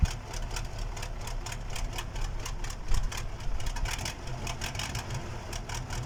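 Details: KAMAZ diesel engine's first start after a major overhaul: even low clatter with steady rapid ticking at idle and no knocks or misses; the engine idles smoothly.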